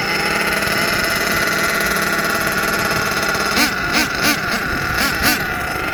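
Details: HPI Savage XL twin nitro truck with Twinzilla kit: high buzzing nitro whine surging and dipping in uneven pulses as the two motors fight; motor 2 out of sync, unmatched RPMs, before throttle linkage setting and tuning.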